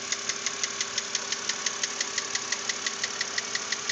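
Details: 2006 BMW Z4 3.0si with about 19,066 miles, idling with a sharp, regular, light metallic tick-knock about three times a second. The knock persisted after the lifters were replaced; the owner hopes a cylinder head replacement will fix it. Recorded before repair.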